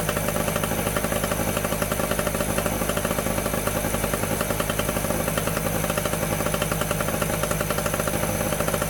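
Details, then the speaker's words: Medusa Compact 950 generator two-stroke engine, running again after a new fuel tap was fitted: steady fast buzz at constant speed without misses or surging, sounds sweet, though it is still not generating electricity. "So but yeah, I'm happy I've got it running now, so that's one thing down. It'll be a shame to break it into spares because the engine sounds sweet as a nut."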